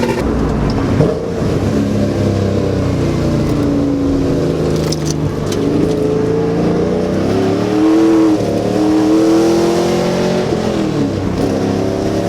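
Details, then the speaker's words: 6.0L V8 Trans Am on a budget exhaust, recorded at the rear near the exhaust: deep V8 burble rises and falls through repeated throttle blips, pulling cleanly with no misfire; healthy engine and exhaust. "r, and back here you can hear the exhaust, and it's a sweet, sweet tune. So Ben's been chasing that perfect sound for him that he's been wanting under a budget, and I'm really happy with how this sounds so far."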